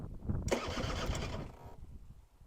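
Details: Honda Vision NH80 scooter being restored, engine known free, first press of the starter button: short even starter whirr of about a second spins the engine freely with no grinding or binding; normal starter cranking.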